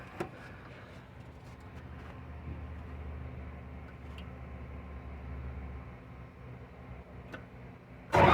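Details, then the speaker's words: TCM FD-80 forklift, Isuzu diesel, high hours: cranks and catches, then settles to a low even idle rumble with no knocks; normal diesel start and idle. "runs pretty good for five grand none of the cylinders leak on it"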